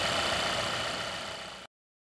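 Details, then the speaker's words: 2016 Volvo XC90 with an earlier loud whistle/whine and lean code P0171 from a failing PCV oil trap, now replaced. Steady, even idle hum with no whistle or whine. Normal idle after repair. "looks like we have a fixed car replace the oil trap and the high-pitched whine and gone"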